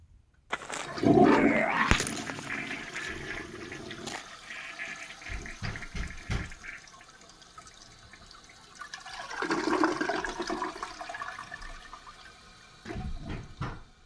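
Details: Toilet after flapper replacement for phantom flushing: strong rushing flush fades into quieter tank refill hiss with no trickle afterward; dye test showed no leak, flushes and refills normally.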